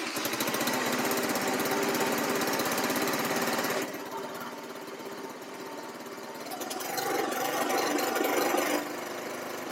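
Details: $300 buggy small engine after carb tuning, riding at full throttle: revs hard then drops off sharply around four seconds and again near nine before recovering; intermittent cutout, owner suspects CDI, unconfirmed, plans to check spark plug.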